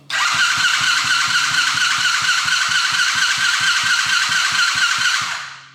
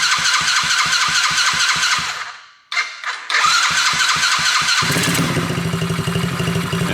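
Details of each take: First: Coolster 110cc dirt bike on its old, wrong-type carburetor with choke on: starter churns with steady compression pulses, engine never catches; owner guesses the carb is badly gunked up, fixed by replacing it with a PZ20. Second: Coolster 110cc dirt bike first start on a new PZ20 carburetor, on choke: even chugging turnover, a brief stall, then catches and settles into a quick steady putter; starts and runs normally after carb swap.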